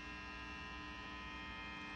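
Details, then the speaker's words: Matchless Lightning Reverb tube amp: steady low buzzing hum with faint bright edge; suspected pickup through cables acting as antenna to the phase inverter, return jack crunchy, new cables to be tried; unconfirmed. "you're depending on a shielding of the cable to protect it from picking up noise I mean you're a ibly dealing with an antenna right to the grid of your of your well with this particular amp right to your phase inverter"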